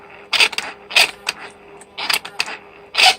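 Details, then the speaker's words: Mercedes 600SEL (1992-95 type) older-style throttle actuators on a bench test with the E-gas module, hot after days of running. Short, scratchy screeching bursts as the motors move and hold, attributed to the motor bearing. Normal noise; the throttles work fine. "hear that noise yes that screeching sound don't worry about that that's nothing it's just that the way the motors are designed they're loud they're loud"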